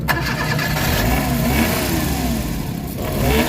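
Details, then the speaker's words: DA64/DA63/DA17 engine with strong vibration, stalling unless throttle is held; compression is suspected since spark and fuel are present: uneven revs and a shaky, lumpy note; rough running before repair. "Kita niyo namamatay talaga 'yung makina. So ito 'yung mga problema."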